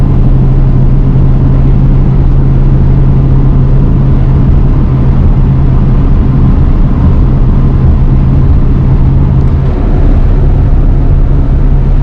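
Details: 1966 Thunderbird barn find V8 with a fully rebuilt Autolite 4100 carburetor, dwell and timing set, after a carbon-cleaner treatment. Deep, steady V8 rumble at an even idle with no misses, knocks or surging: back up and running pretty well.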